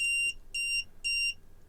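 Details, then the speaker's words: Arduino with dual SMD/through-hole on-off shield PCB: three clean high-pitched beeps about a quarter second each, half a second apart, from the Arduino code indicating it is responding; normal. "the beeps by the way are from the underlying Arduino code you don't have to do that that's just an indication that the Arduino is responding"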